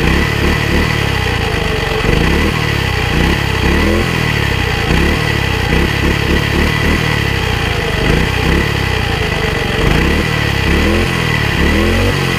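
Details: Single-cylinder walk-behind tiller (motoblock): loud putter with lumpy, uneven beats that surge and sag, unstable idle; stalls when tines enter soil; owner suspects carburetor or throttle/choke adjustment needed.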